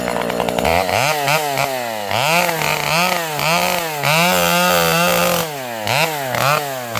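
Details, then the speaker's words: Vintage chainsaw with governed carb cutting tree: crisp two-stroke scream dropping under load and recovering cleanly between cuts, no misfire or stumble; normal cutting. "This old girl is running beautifully. You can hear this thing has a governed carb. So, uh, it, uh, it blubers no matter how lean you you can't lean this thing out too much."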